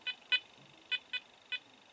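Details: Apex metal detector after return from repair, multi-frequency, full sensitivity, relics mode, stock coil: short high-pitched beeps at uneven gaps, five in two seconds with no target; false signals (chatter), cause unconfirmed.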